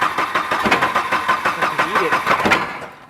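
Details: Volvo 240 turbo drift wagon after fuel pump replacement, weak battery: starter churns steadily about three turns a second, engine never catches, then stops; crank no-start, timing suspected off, intake manifold clamp undone, not confirmed.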